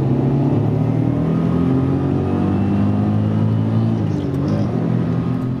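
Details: Maserati Biturbo 4.24V V6 driving: steady low drone under the engine at road speed, unchanged after parts swapped; rear wheel bearing suspected, not confirmed.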